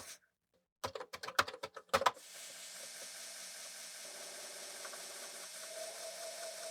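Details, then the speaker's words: Commodore floppy drive (Enhancer 2000, 1541C or 1550 being tested): about a second of sharp, uneven clacks as the heads knock, then a steady hiss; head banging on a failed load, dirty heads suspected. "Okay, I can hear the heads moving around because it was head banging there."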